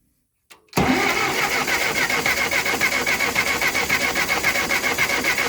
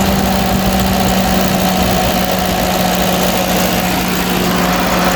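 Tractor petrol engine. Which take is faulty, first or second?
first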